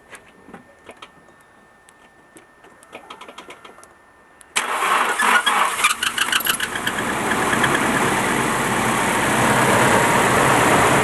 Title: 200sx Engine Knock Possible VVT Cams Spray Bar, etc